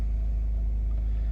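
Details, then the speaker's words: Van-life generator after the air conditioner reached temperature and cycled down: low smooth unchanging hum, nothing sharp on top; quiet healthy idle. "I don't know if you can hear it in the background, but it's just a real soft hum. I mean, it's just something the way you just barely hear it when it runs."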